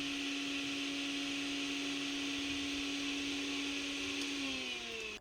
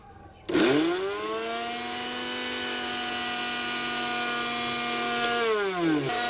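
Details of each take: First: Mixer grinder motor run without the jar, no load: steady high-pitched whine with brush hiss, pitch falling at switch-off; sounds normal, with no excessive noise. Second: Mixer grinder runs normally without its jar but screams with a harsh, rough roar under its whine once the jar is fitted; the noise comes from the jar.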